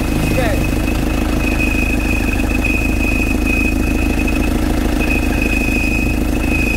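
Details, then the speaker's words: Isuzu 4JA1 diesel (Crosswind) idling with a steady high-pitched squeal over a rough knocking rumble; the crankshaft pulley has separated, its alignment marks slid apart, risking it flying into the radiator; pulley replacement needed. "ngayon kung naghiwalay ito it problema kasi maingay mamaya marinig niyan saat yan maghiwalay yan"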